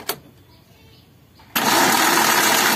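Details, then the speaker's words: Suzuki APV (G15 engine) that died suddenly while driving, cranking: noisy starter spins fast, light and even with no compression pulses, like compression leaking; no compression because the timing belt snapped. "Meskipun motor starternya berisik, suara mesinnya itu ringan kayak ada kebocoran kompresi gitu ya."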